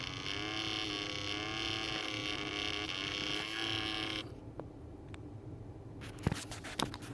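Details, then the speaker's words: 1998 Toyota Camry blend door/air diverter actuator motor just after repair, test with one screw fitted: low droning groan with wavering pitch for about four seconds then cutoff; actuator motor straining, cause unclear. "well, it sounds like a dead pig trying to do something."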